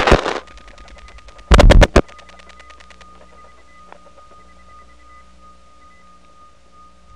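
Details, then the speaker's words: Atlanta TRinity step-by-step exchange, recorded January 1979, dialing over a wire trunk into a No. 1 ESS: a steady thin high tone under the dial-pulse clatter is an adjacent trunk oscillating through the repeaters during dial pulsing. It is crosstalk, not signalling. "that sounds like some sort of interesting interoffice signalling protocol where it uses a tone to communicate from one side to another but it's actually just an adjacent trunk that oscillates during the dial pulsing thanks to the repeaters"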